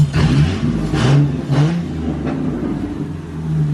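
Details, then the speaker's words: 3.8 V6 SN95 New Edge Mustang drift car after blown head gasket replaced and EGR deleted, freshly painted headers baking: deep loud throttle blips with open exhaust roar, revving freely and cleanly; engine sounds healthy. "so this paint's going to be baking for a while but she sounds great"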